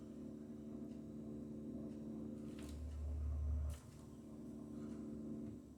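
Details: Logic combi boiler, wall-mounted: steady low buzzy hum that comes and goes and stops when a hand is pressed gently on the casing; owner suspects something not tight enough, cause unconfirmed.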